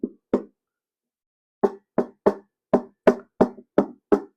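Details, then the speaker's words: Fake Minelab GPX 5000 metal detector bought on eBay, handled to reveal contents: string of dull springy knocks in bursts, about three a second, from loose springs inside the housing. "it's got Springs in it but in the Box as well"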